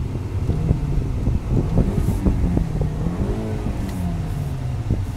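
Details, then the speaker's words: 2006 VW Passat 2.0 turbo petrol, revved before a test drive: steady low engine note climbing and falling smoothly with throttle blips, no knocks or rattles; healthy normal revving. "the revving of the engine you can hear that and you know exactly what I'm talking about okay keep in mind this is a 2.0 turbo"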